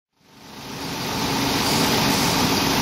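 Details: 2005 Dodge Grand Caravan, after replacing the radiator cooling fan that had been vibrating badly while running the A/C: a steady, even whoosh of air builds and holds over the engine with no wobble or rattle; normal radiator fan operation.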